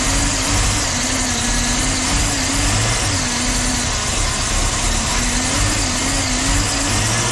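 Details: 1984 Jeep V8, started after sitting parked with wiring problems. Smooth, even idle with a steady low rumble and no knocks or misses, but the exhaust is very quiet, so the owner wants to delete the muffler. Normal idle.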